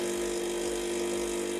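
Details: Saeco Incanto HD8911/09 espresso machine after burnt control board replaced and reassembly from owner's disassembly, first coffee: steady, even pump hum holding one pitch throughout, no rattles or surging; healthy brew cycle.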